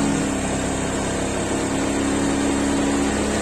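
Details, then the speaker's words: Honda Vario 150 scooter at idle after fixing a rattling radiator cap: steady even hum, the earlier rattling, buzzing "nger nger" noise gone; normal idle. "suaranya udah normal lagi sudah nggak ada suara atom-atomnya udah nggak ada suara kayak nger nger nger kayak ngeter"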